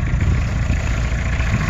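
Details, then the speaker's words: 1986 Isuzu Trooper 2.2 C223T turbo diesel, sat since 2005 with a seized engine, first start after a full overhaul with good oil pressure: deep, even diesel clatter at idle, steady rhythm, no knocking or stumbling. Normal idle. "anyways uh sounds great everything's on the up and up still have a few things to button up on it"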